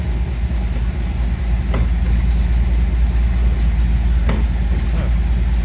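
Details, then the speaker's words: 1979 MGB on blocks, owner suspects bad fuel, carburetor or vacuum leaks; deep slow lumpy rumble near stalling at about 500 rpm while feeling brake pedal, idle to be turned up; low idle speed. "Feels like there's pedal. Uh-oh, we're gonna lose it? That's 500 RPM. See if we can turn up the idle a little bit."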